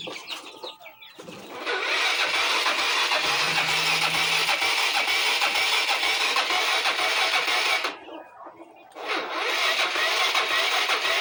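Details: Mio Sporty scooter: starter whirs in long bursts, about three pulses a second, and the engine never catches. Hard starting, cause not confirmed.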